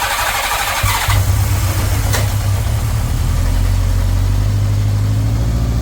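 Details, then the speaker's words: 1983 Honda GL1100 Gold Wing, barn-stored 9–10 years, started after fresh gas and refilled carb float bowls, choke partly on: brief starter crank, then it catches at once and settles into a smooth, even idle. Normal start and idle. "I cannot believe this thing started that [Music] easily I still got the choke on a little bit while warming it up"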